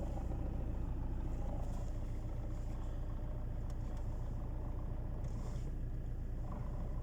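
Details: Alfa Romeo 159 1.9 JTDm 110 kW (150 hp) diesel at idle with the clutch released: low, uneven rumble and rattle of roughly three to four beats a second from the gearbox; gearbox noise with clutch engaged.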